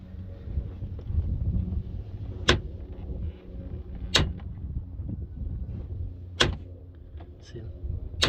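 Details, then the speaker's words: 2005-2009 Chevy Equinox door: loud sharp pops about every two seconds as it opens and closes, one per swing; worn, unlubricated door check strap whose plastic has worn around the pin, fixed by replacing the strap. "when you open and close the door makes that awful sound just pop oh my god it sounds horrible sounds like you're trying to rip the door"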